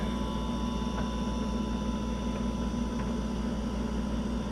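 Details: Refrigerator not cooling, compressor jump-started with an ICM860 hard start capacitor: steady low hum with even tone and no clicking or cutting out; compressor started and running normally.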